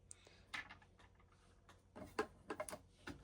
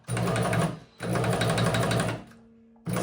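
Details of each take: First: Shark EuroProX 605 sewing machine after cleaning, new grease and oiling: after some handling clicks it settles into a steady, even whirr of about four strokes a second with no more of its earlier knocking; normal, smoother running. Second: Knocking noise while running a Shark EuroPro X 605 sewing machine after the bottom section was cleaned and oiled: fast stitching clatter with a dull knock each cycle, moving better than before. The source is suspected to be in the top, not yet found.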